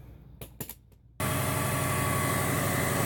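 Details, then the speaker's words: 1994 Subaru Legacy Turbo wagon after new header and up-pipe exhaust gaskets: clicks, then starts and settles into steady even idle with no puffing or ticking; exhaust leak fixed. "right well it sounds really good I don't hear any exhaust leaks anymore"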